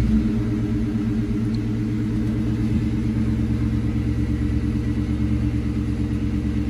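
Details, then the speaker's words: Mustang GT SN95 V8 after cylinder head repair for a blown-out spark plug: deep even burble, steady low pulse, no ticking or puffing exhaust leak. Normal running. "sound pretty good to me"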